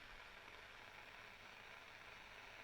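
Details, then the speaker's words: Graetz Super 171W tube radio, first power-up through a lamp limiter at about 750 mA and 251 V B+: a faint, steady hiss from the speaker with no hum. The cause is not yet traced. "I can hear the hiss I've got 251 volts of beep plus"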